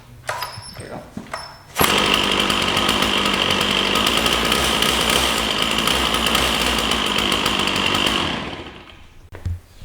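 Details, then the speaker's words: Stihl 044 Magnum chainsaw (Oregon 20-in bar, manual compression release), free and unused for years, restarting while burning off old gas and smoking heavily; fires straight up, holds a steady, crisp, even high buzz for about six seconds, then shuts down cleanly; normal running. "So, we're burning off that old gas and it's smoking a lot."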